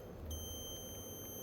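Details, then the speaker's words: Dead Asus TUF FX506L laptop, meter across main power rail capacitors: steady unbroken high tone, zero ohms, a dead short to ground (battery-side caps fine); short later traced to a bad MOSFET. "That's a zero ohm resistance like 0 0. Yeah, this this should be fine because these are on the battery side. But this is the main power."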